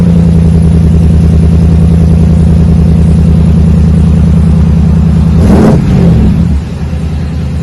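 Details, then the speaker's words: 2020 Chevrolet Silverado RST 5.3L V8 with a Magnaflow single-in single-out muffler, factory resonators removed, factory cats kept, 4-inch dual tips; deep, even rumble at fast cold-start idle, no misfire, easing down as it settles. "settles down see it just went through that cold start mellows it right down shouldn't wake up the neighbors too bad with this one"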